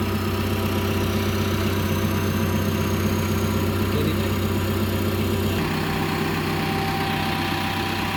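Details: Caterpillar D3K dozer diesel started during daily pre-use check: catches and settles into a steady, even low idle with a smooth chug and no knocks or odd noises; healthy.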